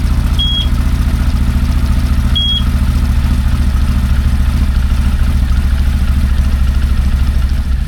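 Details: 2024 CFMOTO Cforce 800xc idling after its first oil change, oil topped up to the line: steady, even low thrum with a couple of short beeps; engine runs smoothly and sounds healthy.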